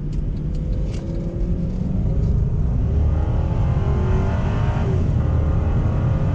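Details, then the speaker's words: 2005 Cadillac XLR Northstar V8 on a test drive after the P0024 fix: the engine pulls cleanly through the gears, pitch climbing smoothly under load with no misfire or stumble over road noise. It feels quick and smoother than before; normal acceleration. "Wow it seems to have some pretty good power I'm actually kind of surprised how quick this thing is but I can already tell it runs a lot smoother"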